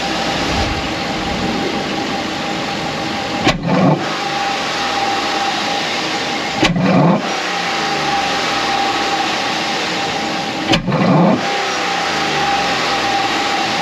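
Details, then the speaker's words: 2010 Chevy Tahoe 5.3 V8, warmed up, with custom high-flow air intake and stock intake baffle removed: even idle broken by three wide-open-throttle blips, each with throaty suction roar from the intake; intake roar on throttle blips. "Up front, you can hear the intake throaty grumble going on with it, and you can hear that blast of suction coming in through the intake when you apply immediate wide open throttle."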